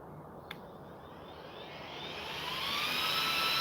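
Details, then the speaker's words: Game Changer RC cooling fan on an RC car, powered on 3S: thin whine climbs smoothly over a few seconds into a strong jet-like rush, no rattle or tick; healthy fan spool-up. "Dude, listen to this fan. I don't know if you heard it. Listen to this thing spool up. This is on 3S."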